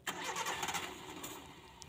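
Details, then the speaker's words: Engine runs rough and shakes, with harsh crackling pops and sputters as the throttle opens and stalls at low throttle; owner suspects water got into the distributor cap (delco) causing unstable spark, misfire popping. "nah ternyata hidupnya semacam ini Lur suaranya beradul-beradul merebet-brebet lur dan guncang ya mesinnya"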